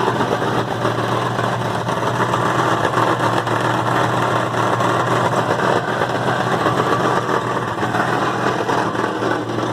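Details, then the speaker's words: Loud, raspy idle with a metallic rattle in the exhaust of a 1974 Dodge Power Wagon truck. The rattle stops when the back of the worn-out muffler is squeezed. "So the problem we're going to look at right now is that my truck has gotten pretty darn loud. Start it up and you'll hear. You can hear that rattle in the exhaust."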